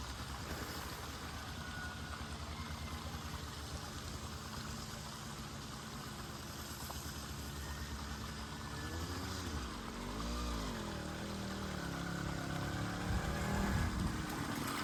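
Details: Small two-stroke motorized bicycle after draining bad gas and refilling with fresh premix: burbling along at a steady idle with an even beat and no misses; now runs well.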